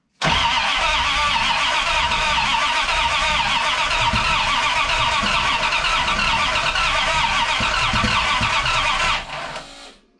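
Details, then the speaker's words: '51 Dodge dually, turbo 5.9 Magnum on Holley Terminator X EFI with a Dual Sync distributor, first start attempt. Regulator vacuum unhooked, only 28 psi fuel pressure, smoke seen. Steady fast cranking, about four turns a second, with no firing: cranks but won't start, distributor possibly 180 degrees out. "she's making smoke we never hooked up uh the vacuum on the fuel pressure regulator we've only got 28 pounds of fuel pressure"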